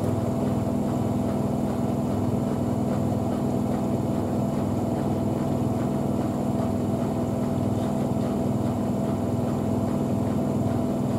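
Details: Miele W5000WPS Supertronic washing machine (2012) in final spin; steady smooth motor whine over even drum rush, no knocks or scraping; normal.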